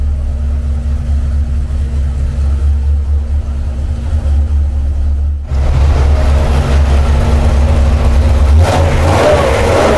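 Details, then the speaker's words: Freshly built Mopar 383 V8 for a '68 Dodge D200 on the dyno, timing at 34 degrees, before a rev to 5,000 RPM: deep, even rumble holds steady, then picks up with a throttle blip; no knocks or ticks, sounds healthy. "Sounds good. Let's see what it does when we rev it at 5,000 RPM."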